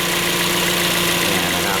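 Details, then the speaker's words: 2013 Toyota Vios, engine running with AC on, replacement AC compressor clutch relay plugged in: click then clutch engages, even idle with compressor pulling steadily, no slipping or chatter; AC working; old faulty relay left the clutch off. "เสียบไปมันต้องดังแตกพอดังแต๊กนี่แสดงว่าเออหน้าคัชพร้อมแอร์ทำงานนะครับผมเนี่ยเพื่อนๆได้ยินเสียงมั้ยครับเนี่ยนะครับผมหน้าคลัชพร้อมแอร์จับแล้ว"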